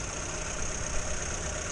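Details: 1962 Morris Minor with a suspected ignition fault that misfired and broke down; owner had just tightened fittings half a turn. Steady, even idle without misses, faint high whine in the background. Sounds all right for now.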